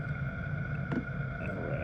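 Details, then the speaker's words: Portable Chinese diesel heater in a compact overland case with 5-liter tank, about five and a half minutes after first start-up, finishing warm-up and backing down to its lowest setting: quiet steady low hum, soft whir, faint pump ticks; normal low-setting running. "time to reach warm-up routine and you can hear it starting to back down starting to run at its lowest setting"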